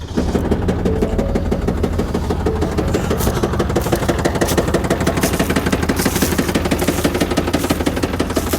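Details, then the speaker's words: Ford Power Stroke diesel Super Duty truck with about 10,000 miles (year stated as both 2024 and 2020), idling with harsh, uneven clatter pulsing about three times a second; sounds rough and terrible, owner questions if normal; abnormal diesel engine noise, cause unclear. "2024 with 10,000 miles, and this is what she sounds like. Is this how my Power Stroke's supposed to sound like? Yep. A 2020 Ford Super Duty truck with only 10,000 miles, and the engine sounds terrible."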